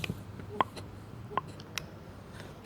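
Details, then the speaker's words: New or rebuilt mechanical fuel pump without vacuum booster for a 1963 Rambler American, lever worked by hand off the engine in a quiet room; a few sharp light clicks under a second apart; normal pumping action. "the cam shaft moves this lever here like so and you can hear that kind of uh this one makes like a clicking like a almost like a clicking sound"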